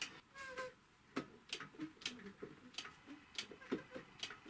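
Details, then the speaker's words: Typical GC 2605 industrial triple-feed cylinder-arm sewing machine, found completely dry and apparently never oiled, turned slowly by hand: irregular short squeaks and creaks with each movement; dry mechanism needing oil. "вот даже слышно что здесь от скрипа идут так ну что нужно конечно же здесь все смазать масло индустриальное и-20а"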